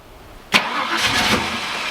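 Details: Holden VN SS Commodore 5.0L V8, sat for years, fresh fuel pump fitted: silence, then a sharp burst and a rough, uneven roar, but it won't settle and keep running. Owner suspects the pump isn't picking up fuel with the car sitting unlevel.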